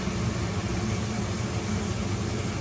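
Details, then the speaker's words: Biasi boiler after a failed-ignition repair with a new pressure switch, on a hot-water call: an even, steady roar of burner and fan with no pops, flutter or dropouts; the flame stays on and runs normally. "Let's make sure she stays on. She stays on."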